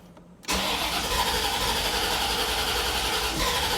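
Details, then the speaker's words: 1989 Corvette, stock, 77,000 miles, on its third fuel pump, stalls after about 20 miles from lost fuel pressure: starter spins engine at a steady fast churn but it won't catch; owner suspects fuel delivery, cause unconfirmed. "again the car won't start if you go down let's try to prime it all right well it tries but it won't feel the gas"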